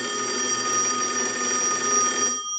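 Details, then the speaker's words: Single-slot payphone at final checkout after repair and conversion; a ring cycle is sent from a line analyzer. Bright, steady metallic ring for about two and a half seconds, then a clean stop. Bell strikes normally. "Now what we want to do is we can use the analyzer and we can send a ring cycle, so we'll start that."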